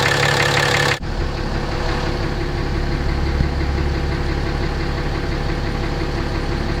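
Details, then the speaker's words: 2017 RAM 2500 6.7 Cummins diesel, 12,100 miles, tows fifth-wheel RV, Rotella T 15W-40: deep steady knock about three per second over idle clatter, always present; oil analysis shows high iron, cause unknown; external mic moved around engine. "got 12,100 miles on it. It's always had that knock."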